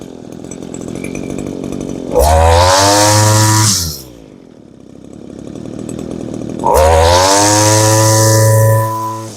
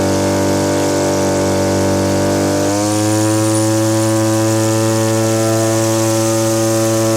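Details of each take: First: Old Echo curved-shaft string trimmer powerhead, small two-stroke, after adjusting the high-speed mixture and setting the idle: two sharp revs to a high scream, each dropping back cleanly to a steady idle; runs really great and starts nicely. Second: Small two-stroke (Stihl BG50 blower or Echo powerhead trimmer) after new fuel lines, ethanol-fuel water contamination: steady buzz shifting to a slightly uneven burble, smoking too much; carburetor set too rich (four-stroking), to be leaned out.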